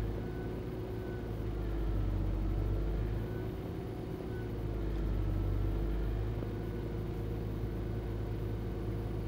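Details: Nissan Gloria Y33 with VG20E engine, cold, checked with Nissan Data Scan: idle slowly rises and sags every few seconds instead of holding steady until warm; hunting idle when cold.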